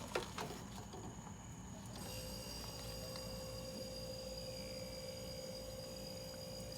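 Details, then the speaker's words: Mini dorm refrigerator that was not cooling and clicking: couple of handling clicks, then compressor kicks in with a steady, even hum and whine after plugging back in; normal compressor start and steady run. "that's it compressor is running it doesn't take long to get cold guys"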